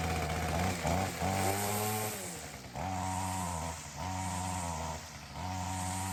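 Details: Ryobi CS30 two-stroke trimmer with new aftermarket HiPA carburettor; clean idle with quick revs up and down, crisp pickup and steady return, throaty note, much healthier than with previous carb; normal running.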